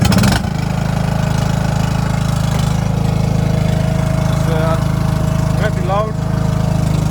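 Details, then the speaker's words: Stiga Park Compact riding mower with a single-cylinder Briggs & Stratton engine and a broken exhaust: steady thumping at fast idle, much louder and more rasping than it should be because of the broken exhaust. "So the exhaust is broken as well. When we start it, you will definitely hear that."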